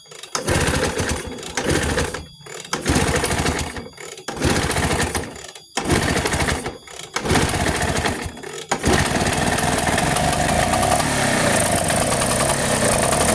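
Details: Two-stroke Vespa after carburetor setup for flooding or hard starting, with oil added. Choppy bursts as it tries to fire, then it catches and settles into a steady two-stroke buzz, running normally.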